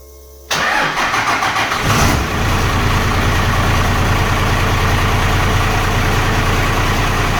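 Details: 2nd-gen Cummins 12-valve diesel with blow-by, after installing vented valve covers and catch cans: cranks and catches in about half a second, then a steady clattering idle with light even valve-train tapping; normal.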